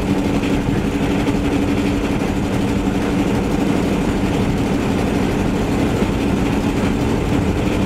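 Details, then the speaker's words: Vehicle on a test drive before exhaust repair (later found a bad exhaust donut gasket, rusted-out mufflers and tailpipe section): loud raspy low drone with coarse puffing edge over road noise; exhaust leak. "so I just kind of wanted to do a quick test drive and show you guys the last of the exhaust leak issue that we're facing and obviously can hear it in the background"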